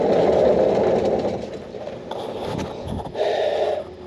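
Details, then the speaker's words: Peugeot P4 (Mercedes G-Wagon military version) under restoration, rear wheels spun by hand in neutral: rough rasping grind surging about four times a second; not the rear axle, suspected to come from the transfer box. "wow horrendous there's something not right under there it doesn't sound like the rear axle either it's definitely coming from that diff uh from the transfer box"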